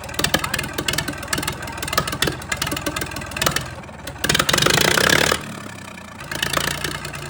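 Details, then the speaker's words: 1962 Fordson Super Dexta diesel tractor just fired after 25 years sitting: it surges and stumbles with ragged knocking instead of a steady idle because air is still trapped in the fuel lines. "I was sure she was ready to go, but she needed a little more air bled out of the fuel lines."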